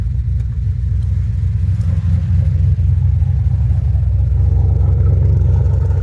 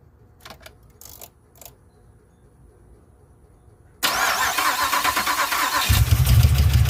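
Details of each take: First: 2007 GXP with Sloppy Stage 3 cam, VATS and DOD deleted via HP Tuners, first start-up, idling after turning car around, warming up: heavy choppy lopey V8 idle, no ticking or popping; healthy aggressive-cam idle. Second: 2007 Pontiac Grand Prix GXP, first start after a stage 3 cam with HP Tuners VATS/DOD delete, stock 42 injectors: cranks and catches into a ragged, stumbling, popping idle. An injector is seen spitting fuel.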